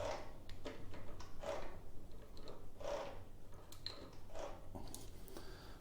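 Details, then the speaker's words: Royal Enfield Himalayan engine turned backwards by hand during a valve check: slow, uneven clacks as the starter clutch tries to engage and ratchets, which also loads the cam chain tensioner. "Now, that ain't right, is it? That's trying to engage the starter clutch. It's going the wrong way."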